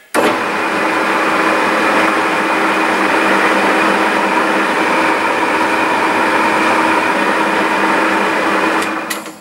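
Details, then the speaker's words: 1950s Meddings Pacera MB2 pillar drill, new Beatson motor and NVR switch, drilling roughly 3mm scrap steel with a 10mm bit and WD-40: steady motor hum with faint cutting whirr, start to stop; runs fine. "just need to adjust the guard slightly it's got it nothing wrong with that"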